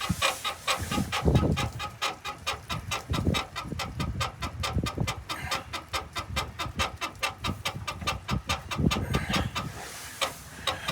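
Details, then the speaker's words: 2004 Chevrolet Astro, lowered, body bounced by hand: rapid squeaks about three per second in time with bouncing, mostly driver side, passenger side too when bounced harder; suspected upper rear leaf spring shackle bushing. "okay bounce it harder okay when you bounce it harder then the passenger side start singing too okay so you think it's the upper shackle bushing"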